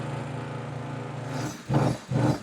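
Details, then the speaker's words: Portable hot-water sink cabinet on-demand water pump, water heated to about 140 degrees, running with faucet open: steady low motor hum, no knocking or surging, then water noise; ample pressure, pump stops when shut off. "So you get ample amount of pressure, and as I told you, once you shut the unit off, you won't hear the pump anymore."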